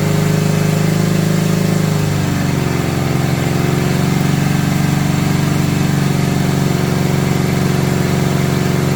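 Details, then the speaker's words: 1970 Honda 600 sedan (N600) running after revival with rebuilt carburetor: engine holds a steady fast buzz far above normal idle, around 4,000 RPM, and won't idle down because the throttle cable is adjusted too tight with no play. "Some people call me up and they go, "Hey, my car won't idle down." Well, it's because your cable's too tight."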